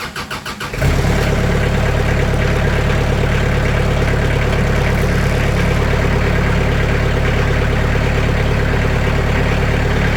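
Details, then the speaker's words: Sawmill's small engine cranked up and idling close up, after noise-dampening material (80 mil mat) was added to the doors: cranks, catches, settles into a steady, even idle, quieter, panel still visibly rattling but not heard. "It's quieter. You can see this is still rattling, but you don't hear it. That's impressive."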